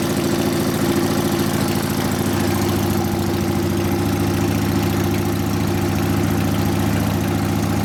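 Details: 1999 80ci Evo V-twin, first start after rewiring: uneven loping idle about 3.5 pulses a second, hunting and stumbling; idle mixture 2.5 turns out, owner suspects lean, wants more low-speed jet, accelerator pump possibly not working. Lean idle.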